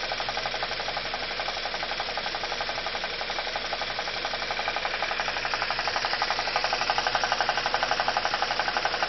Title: BMW E46 316i N42 Engine Strange Noise